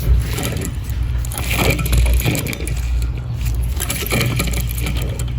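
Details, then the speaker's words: Dodge Journey alternator, removed from the engine bay, with worn bearings giving rough scratchy grinding and loose rattling as the pulley turns, though it still charged fine; loud engine-bay noise fixed by replacing the alternator. "you can hear those bearings that's a shame cuz alternator still charges good"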